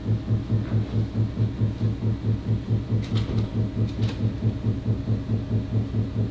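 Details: A very loud, deep banging in the walls that started 3 days ago, occurs sporadically and lasts about a minute: heavy thumping about twice a second, apparently coming from next door; the cause is not found.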